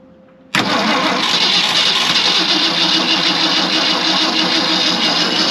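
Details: 1965 Ford Galaxie 500 with a 352 V8 spins at about three turns a second but never catches. No fuel was reaching the carb because the fuel filter was plugged, and the jumper pack died.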